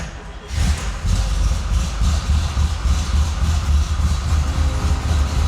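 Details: 1977 C3 Corvette 383 stroker V8, cold start after a few days sitting: catches quickly and settles into a steady, slightly lumpy idle, with a train rumbling in the background; mechanical gauge reads 60 psi oil pressure, so the factory gauge/sender is faulty and the engine is healthy.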